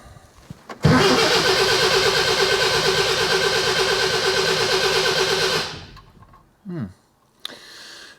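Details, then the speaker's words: Classic Mini bought for €1000, battery just reconnected and oil checked, fuel possibly old: steady fast cranking near three beats a second for about five seconds with a few catches but no run; some ignition present, fuel supply issue suspected. "sounds like there's certainly some ignition in there maybe there's an issue with the fuel link i don't want to push it too hard because if the fuel is old it'll just gum up the carburetor but seems to turn over okay"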